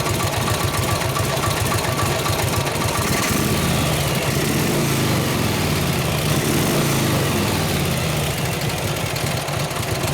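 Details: 1953 Harley-Davidson 74ci panhead V-twin, kick-started during tune-up with distributor timing being adjusted, gives an uneven, lumpy stumbling beat rather than a clean lope; running rough, cause suspected, not confirmed.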